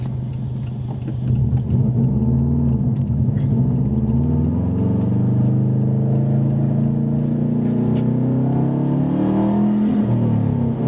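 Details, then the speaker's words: Subaru WRX at full throttle under heavy acceleration, misfiring. Uneven, stumbling beat as revs climb; owner suspects an air problem, spark plugs to be pulled. "now it's still doing it I don't know if you could hear it it's really weird sound didn't know check engine light yet"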